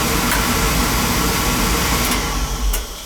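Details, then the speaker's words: Beckett oil burner with intermittent delayed ignition and smoke, good flow, filter good; steady even roar comes up and holds without puffing or rumble; burner lights cleanly, firing up nice. "firing up nice cuz what causes the spark is this Transformer and it sends Spark down these electrodes to fire it"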